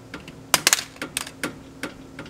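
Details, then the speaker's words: BMW E30, front wheel rocked left-right by hand: light, sharp metallic clicks in uneven bursts, nothing when rocked up-down; play in the steering linkage suspected, not confirmed. "So left, right, left, right. Seems to give us a little clickety-clackety."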